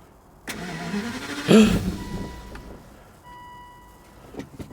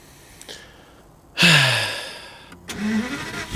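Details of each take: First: Crash-damaged Aston Martin DB9 V12 manual, after pressing the battery's yellow reset button: starter whirs briefly, engine catches with one loud surge, then dies within a second; it later ran after changing the key, so a dead key is suspected. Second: Aston Martin DB9, crash-damaged, new battery fitted, after earlier start-then-stall attempts: short crank, catches with a sharp rev flare that drops away, then a steady even idle; normal start.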